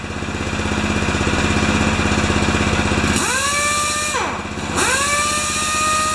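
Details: Honda-powered wheelbarrow air compressor 'Jenny 1' after an oil change, adjustments, new Kevlar belt, new gauge and output switch, bleeding air off. A steady, even engine beat with the pump chugging, then smooth speed changes: healthy running under load.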